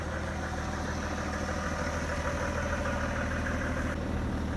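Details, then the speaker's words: Car engine after RVS Technology coating treatment and half-hour break-in drive, cold start next morning: low, steady idle hum with no stumbling; earlier cold idle intermittently ran rough, now seemingly gone: normal cold idle. "Aikaisemmin kylmällä koneella tässä oli semmonen, että se välillä pyöri karkeammin. Sitten se ääni taas pehmeni ja pyöri karkeammin. Vaan nyt näyttäisi olevan ainakin se pois näin ensimmäisellä kylmäkäynnistyksellä."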